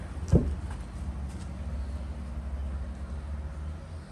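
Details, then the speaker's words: Porsche Speedster replica with a freshened real Porsche engine cranked in neutral with the battery charger boosting the starter and 2 lb fuel pressure; it churns but never catches because the ignition coil was left unhooked, so there is no spark. "I don't even have this coil hooked up What's a coil for uh it makes it have spark so it'll start remember I said when I was cranking away it sounds like it doesn't have spark cuz it didn't"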